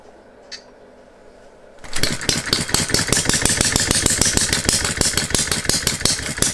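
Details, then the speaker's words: Philip Duclos Odds n Ends hit-and-miss model engine running on a Viton-ring piston after the cast iron rings failed to seal, with the governor disabled: it catches after a quiet tick, then gives quick, fairly even sharp firing beats. It runs okay, though the governor needs stronger springs. "anyway this little engine seems to run okay on the viton ring needs a bit of tweaking here and there in terms of like the governor and needs some stronger springs on it"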